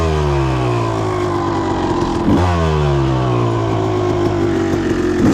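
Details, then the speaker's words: Suzuki RM250 two-stroke with a new Lectron PRO Series carburetor, warmed up, after fixing the power jet circuit: crisp revving with clean sharp blips up and down, no bog or stumble; running healthy. "Oh yeah, that's good stuff. This bike is transformed."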